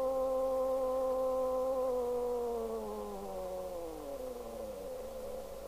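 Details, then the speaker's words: 1973 Pye Westminster W15AM all-transistor single-channel AM radio on the 4 m band (70.26 MHz): a steady whistle sweeps down in pitch and fades as the trimmer is turned, a beat note from the off-frequency oscillator. "now I'm going to turn the volume up so you can hear the musical not I've not even got anything plugged in but I can hear it"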